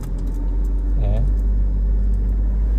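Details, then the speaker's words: Toyota Innova idling after clutch work, release bearing replaced: a steady even rumble, and the earlier grinding when pressing the clutch is gone. "ആയിട്ടുണ്ട് പക്ക smooth ആയിട്ടുണ്ട് ഇപ്പോ clutch ചവിട്ടുമ്പോൾ സൗണ്ടോ കാര്യങ്ങളോ ഒന്നുമില്ല"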